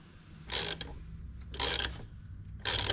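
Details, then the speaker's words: Nissan 300ZX Turbo (Z32) during a 120k timing service. The aluminum crank pulley, corroded and seized on the nose, gives three sharp crackling pops about a second apart as pressure builds under the puller instead of sliding off. "They actually corrode and get seized on. So as I tighten this to remove it with this polar, which is indefinitely going to damage this a little bit, but listen, it pops on its way out instead of just sliding off. It waits till it builds too much pressure and then it moves a little bit."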